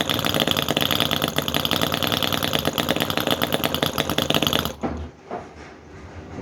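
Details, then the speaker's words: Cison FG-VT9 9cc petrol V-twin model engine, hard to start and tune, finally running; high fairly steady buzz without obvious misfire for several seconds, then cuts out abruptly as it runs out of fuel; normal running. "well there you go folks we have it it's definitely working that took a lot of getting going it's much harder to get going than the vacuum engine"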